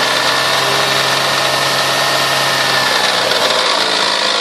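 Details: 1998 Toyota Sienna revved from 2000-4000 rpm: busy, raspy mechanical clatter over a steady drone, easing as revs drop; owner says it runs great but the noise seems stronger from the manifold and beneath. Cause unknown.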